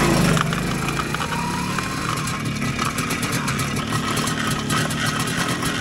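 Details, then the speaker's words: 40-year-old MZ two-stroke motorcycle at Nordkap on a Baltic tour; rough uneven grinding rasp from the rear drive over the engine buzz, the chain described as badly worn out, expected not to last much longer; sprocket or bearing wear unconfirmed. "Aber ich habe es schon auf meinem Handy gefilmt, aber ich filme jetzt auch nochmal hier, wie sich die Kette anhört von dem Motorrad. Die ist nämlich geistkrank im Arsch."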